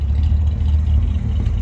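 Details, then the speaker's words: 1964 Ford Galaxie 500 convertible V8, heard from the rear at the fairly new dual exhaust, possibly stainless, with light revving: deep, even rumble, steady beat, no rasp or ticking; exhaust sounds good. "once you hear the exhaust from back here he sounds good it might be stainless exhaust that's on there too"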